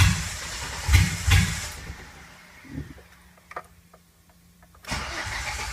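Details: 2008 Silverado Vortec V6 swapped into a 1987 4Runner, Megasquirt MS2 with logic spark outputs to a coilpack, 60-2 reluctor: cranking with sharp pops and backfires, catches briefly then dies; no start with backfires while cranking.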